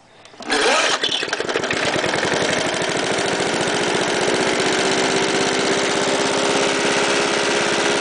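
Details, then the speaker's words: Warm start of a Jacobsen lawnmower with a 1991 Briggs & Stratton vertical-pull engine, about 10 hours of use, no deadman or shut-off, recently revived after 12 years of sitting; one quick pull catches into a steady, even single-cylinder beat with no misses, starting and idling normally. "Started in 10 pulls, and it has only about 10 hours on it. So I'll start up. This is a warm start. I had it running today, so."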